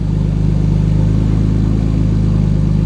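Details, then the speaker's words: Single-turbo BMW E60 N54 after switching back to F80 M3 coils and plugs gapped .022 and reflashing the MHD tune to OEM coils, first start: deep, steady idle hum with even pulse, no stumbles or hiccups; idling smoothly. "Alright guys, so we flashed the car, so let's turn it on and see how it goes. Turn on smooth so far. Idling smooth."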